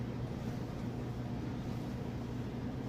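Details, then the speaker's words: Crosley electric dryer running empty: steady, even low hum with no knocks, squeaks or scraping; drum turning smoothly, normal running. "Empty, works perfect, sounds great."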